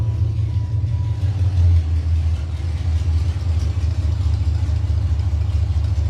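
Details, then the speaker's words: 1996 Impala with LS swap (5.3 V8, 4L60E) that previously would not start, now starting and running: deep, steady V8 rumble at an even idle with no stumbles, misses or knocks; normal idle. "so yeah man that's the update on the shop the 96 is running and starting now"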